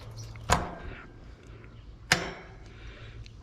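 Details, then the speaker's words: Single-pole AC condenser contactor, 24 V coil signal from thermostat: three crisp single clacks as the coil pulls in and closes the contacts normally. "and you can hear it and see it clicking in. So, it does that when it's calling for cooling and it sends the power."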